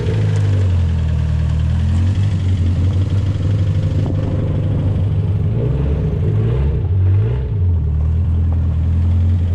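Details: Car rolling out: loud, raspy low rumble with chuffing, blowy edge under the engine note; exhaust leak traced to a hole in the middle silencer.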